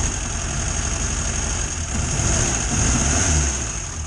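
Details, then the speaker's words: 1962 Morris Minor idling with a spare 12V ignition coil taken from the shed, possibly removed earlier for playing up: lumpy, uneven idle with beats dropping out irregularly; misfire from a failing ignition coil. "obviously this is the coil I found in the shed does say it's a 12v coil but maybe it was even in my shed because it played up on a car before and that's why I changed it"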